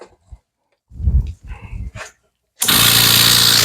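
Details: New 750W 1 HP pond aerator air compressor with weighted tubing and diffusers, just plugged in: after a moment of quiet it kicks on with a steady low hum under a loud even rush of air; running normally.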